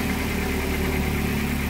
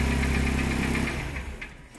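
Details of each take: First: K21 engine running on LPG, idling while an oscilloscope probes the LPG injector driver during E-35 code testing: steady, even hum with a constant low rumble and no stumbles or knocks; normal idle. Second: K21 engine on LPG, running with scope attached: steady idle for about a second, then firing falters and dies when the main injector connector is pulled; engine stalls, expected to set code E35.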